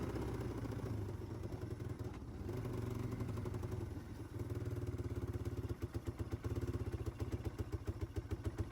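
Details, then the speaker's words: 1995 Yamaha Timberwolf 250 single-cylinder ATV after long storage, with cleaned, rejetted carb and new gasket: idles, then uneven thumping breaks into sharp irregular pops at quarter to half throttle; likely still running rich, mixture screw may need adjusting. "Okay, so we did get it to idle, but as you can tell, that kind of quarter to half throttle, it does still kind of sound poppy. Sounds like it may still be running a little rich."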